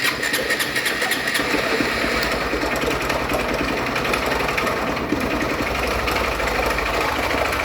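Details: Honda Bros 160 motorcycle, battery found fully discharged: fast, dense metallic ticking and clatter over uneven single-cylinder idle; charging works but engine believed finished, likely seized and over-cranked.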